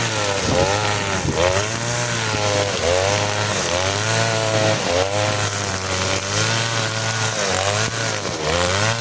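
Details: Side-mounted two-stroke brush cutter with nylon line: high-revving steady buzz dips slightly and recovers in thick grass, pulling strongly without bogging; normal running under load.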